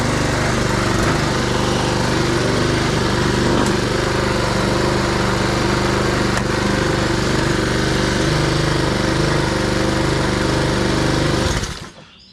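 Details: Husqvarna push mower with Honda GCV160 engine, after new air filter back plate, carb cleaning, oil and plug service for a lean surging condition: steady buzzing at even speed with no hunting or surging, then shut off.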